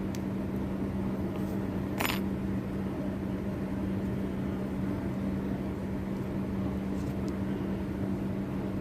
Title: bad bearing #ballbearing #motormaintenance #electrical #motorrepair